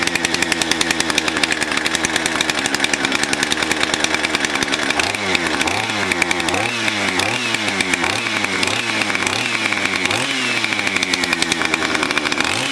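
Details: Husqvarna 460 chainsaw damaged by cheap 2-cycle oil, now with a brand-new piston, cylinder and air filter: a crisp two-stroke buzz revs up and drops back cleanly several times without bogging. The engine runs healthy.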